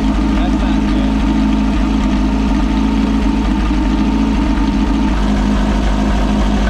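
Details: Possibly 1973 VW Baja Beetle, air-cooled, long-stored with no air cleaner, first start after choke adjustment and throttle cable lube: steady, deep, even idle with a smooth low rumble, no misses or knocks; normal.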